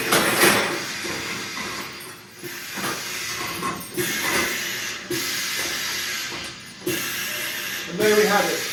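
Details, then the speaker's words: Balcan MK4P pneumatic vial crusher running a bulk load with the counter set to 100 strokes and the adjustable braking chamber preset: irregular sharp crunches and hissing strokes about every second as glass breaks; normal vial crushing. "When the machine goes quiet, you can hear that there's no vials being broken. You can switch off."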